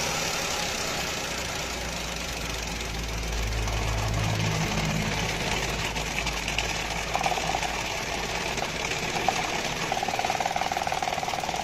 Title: engine misfire